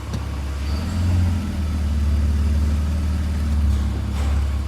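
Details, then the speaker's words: BMW E46 with M54 engine and automatic gearbox, after the torque converter fault was fixed: deep, smooth, even idle while shifting park, reverse, neutral and drive, with no knocking or clatter; normal idle in gear. "Ну и последнее ви непосредственно послушаем уже как работает двигатель при переключениях передач с исправным гидротрансформатором запускаем двигатель"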